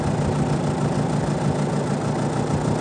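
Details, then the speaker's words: Mabe twin-tub 12 lb washing machine, spin motor after repair running spin cycle: steady even low hum, previous rough jamming noise gone; normal spin motor running. "llevamos a girar la teoría del centrifugado y vamos a escuchar la gran diferencia el sonido que tenía responde ahora"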